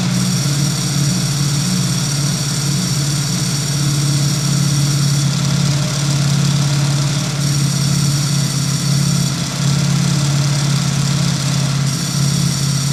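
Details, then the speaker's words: Ducati motorcycle (production number 725) on stock exhaust at idle: loud, steady rumble with a light dry rattle, the characteristic Ducati dry clutch chatter, sound changing when clutch lever is pulled; normal, nothing wrong. "Dan bisa kalian dengar juga suara koplingnya itu ciri khas dry clutch-nya Ducati, teman-teman. Jadi ketika ditarik koplingnya suaranya akan berbeda."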